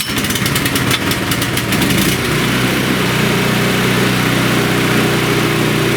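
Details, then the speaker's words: Champion chipper shredder, kept indoors: the engine runs but the blades, which should always turn with it, do not. The clattering drops off, leaving a quieter, smooth small-engine drone, and the engine cranks more easily. "So there you go. You can see it's a lot quieter. Normally you would hear all the blades inside the front there turning."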